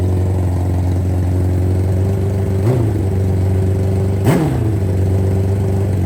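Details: Championship nitrous Hayabusa barn find brought back to running, plenty of oil pressure: steady, even low idle with two quick clean throttle blips settling right back; healthy.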